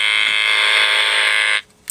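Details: Cheap PWM solar charge controller (auto 12/24 V, all five units do it) charging AGM battery bank with sun LED on, near full output: shrill steady electronic buzz about 1.5 s then cuts out; RF interference tone from controller switching.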